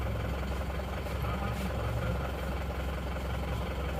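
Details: Panther diesel after its pistons/rings were replaced, with nozzles 2 and 3 still dribbling and awaiting a fix: smooth, even diesel clatter at steady idle, no knocks or misses.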